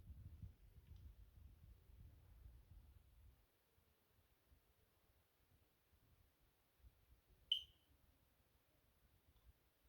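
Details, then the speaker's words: Fire alarm control panel in a quiet room gives one short, sharp high chirp, a zone trouble beep from the smoke detector being removed, demonstrating supervisory current; system returns to normal once the detector is replaced. "you can hear something beeping can't you fire monitor Zone trouble that is how supervisory current Works ladies and gentlemen"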